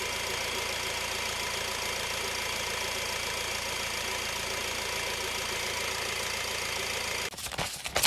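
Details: Ford Transit Connect diesel van that suddenly wouldn't crank, started by bridging starter solenoid during fault tests; steady even diesel clatter at idle, no stumbling.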